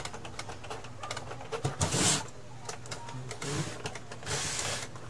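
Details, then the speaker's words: Epson L3110 printer with general error, all lights blinking: feed rollers turn with irregular clicks and uneven whirring bursts, as the encoder disk no longer grips and is left behind while the roller spins. "b oh na nakita ko na ang problema guys itong ano niya itong encoder disk hindi na siya dumidikit kaya pag umiikot Ong ano umiikot itong roller naiiwan siya"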